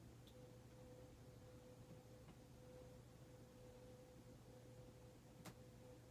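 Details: 52-inch Hunter Mayfair four-blade ceiling fan from 1988, barely used, running on low: very quiet steady hum with faint soft whine, no grinding or rumble; dead silent bearings, normal quiet running.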